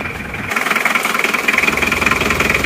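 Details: Isuzu Panther 2.3 diesel just rebuilt with new water pump, first start after slow cranking to prime empty fuel pipes: catches and settles into steady, even idle, no knocks or misses; smooth, normal diesel idle.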